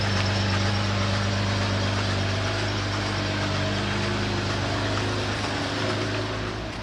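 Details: BMW X6 engine at rough idle with a steady deep knock about three to four times a second; owners first suspected a connecting rod, concluded severe damage needing engine replacement.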